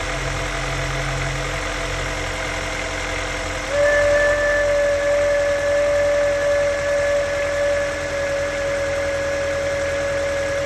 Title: Weird whistling noise from my Honda S2000